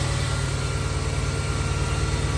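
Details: 2011 Mercedes-Benz GL450 V8 after A/C compressor serpentine belt replacement: smooth, even idle with steady low rumble, no knocks, squeals or belt chirp; runs clean.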